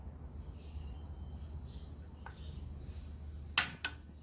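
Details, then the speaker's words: Golden Fuji portable gas stove: a faint, steady gas hiss as the knob releases gas, then two sharp spark clicks as the burner lights; normal ignition. "There, so you can see that the fire is lit up. And the hissing sound appears around here because there's a lot of gas being released."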